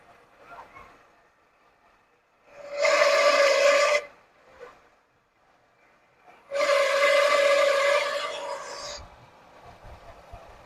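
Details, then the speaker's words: 1979 Lincoln Continental, first run after 32 years stored, revving for an Italian tune-up: two shrill steady squeal bursts rising with each rev, fading at idle; suspected smog pump, later confirmed by screwdriver stethoscope. Engine squeal. "That sounds horrible, don't it? Not sure, but it could be that smog pump too."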